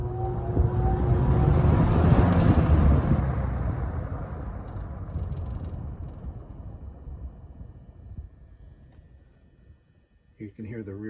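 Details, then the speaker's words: 1971 Windsor (Lakewood P-21) box fan at high-speed startup: deep whir with a light steady rattle from the guard caused by blade imbalance; dirty windings noted, needs cleaning. "guard rattle a little bit from the blade balance issue"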